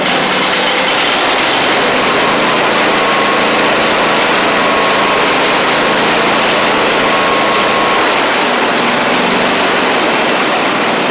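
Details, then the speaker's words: Husqvarna YTH24V48 riding mower after an engine swap and a new carburetor. Loud, steady V-twin idle, now firing on both cylinders, with a faint unevenness in the beat: a slight stumble remains. "It's doing much better. It's still just got a slight stumble to it, but we're running on both cylinders."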